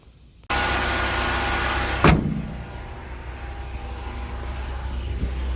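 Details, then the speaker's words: Mercedes W124 petrol engine that sat for years, just run after a new distributor rotor/contacts: slight steady hiss under the hood from a vacuum leak, probably why the idle is a little high. "you can hear that slight hiss under the hood as there's definitely a bit of a vacuum leak and that's probably why the idle is a little higher"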